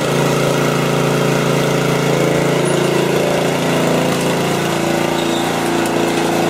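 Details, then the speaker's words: John Deere RX75 riding mower after replacing the deck and drive belts, blades engaged: steady, even engine drone with no belt slap, squeal or knock; runs healthy. "okay yeah this Baby's a caned crushing chopping machine"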